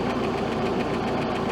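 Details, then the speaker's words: 1967 Starcraft Holiday boat, 120hp Mercruiser Iron Duke four-cylinder, timing about 8 degrees: fast light ticking at idle from top end of one cylinder; suspected stuck lifter or mis-set valve lash. "Only thing that concerns me is you guys can hear that ticking noise. It's one of the valves. I think it's one of the lifters."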